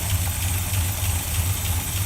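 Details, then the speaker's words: Rebuilt 1965 Chevy pickup V8 with dual exhaust, first start after sitting 15 years: deep, slow, even thump at idle with steady low rumble, no knocks or misses; normal low idle. "there she is all right y'all it's sitting there local just nice and easy we'll take you around here and let you listen to it thump a little bit right there you got dual exhaust"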